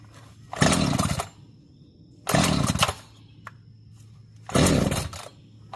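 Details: Echo CS-590 Timber Wolf chainsaw after fixing a no-start by putting a couple of drops in the cylinder, choke out: three strong clean bursts to full revs dropping back to steady idle; runs and cuts normally.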